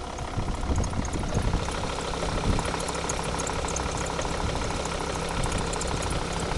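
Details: Volvo S60 D5 diesel idling with busy clatter and faint chirpy ticking layer on top; noise suspected from the auxiliary belt, not confirmed.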